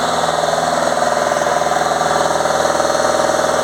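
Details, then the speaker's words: Fiat Ducato diesel van after a DPF soot clean, at idle: steady, even diesel pulsing about four times a second with no knocks; DPF pressure now 14 mbar at tick over, versus 65–66 at high rpm. "But if you let it tick over now, I'll just see what it goes down to. Ideally, this has got to be below 10, but Jimmy O'Reilly says you want half that. So we're at 14 at tick over."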